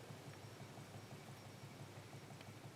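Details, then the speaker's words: Homestead Stratford Superfan, 52-inch ceiling fan with a GE DC brushless stack motor and AC-to-DC variable speed wall control, mic close to the motor: soft uneven knocking rattle about twice a second over a faint hum; owner suspects the driver board or motor, unconfirmed. "kind of knocking, rattling sound. I'm not sure if it's the driver board directly that's causing that noise, but I feel like that might be coming from somewhere in the board or the motor."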